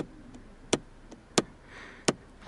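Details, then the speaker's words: Lada Vesta cabin, with the body cold, driving over small bumps that flex the body. Three sharp plastic clacks about 0.7 s apart: a loose pillar trim panel rattling because of too large a gap at its bolt-and-washer mount. "в общем ребята когда еще кузов холодный и вы едете по небольшим кочкам именно где коз вот так вот колебается вы ощущается такой вот звук"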